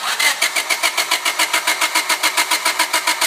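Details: Honda Civic with multi-port fuel injection, cranks but won't start; injector pulse confirmed by noid light and fuel pressure good: starter churns steadily at about three and a half beats per second without catching.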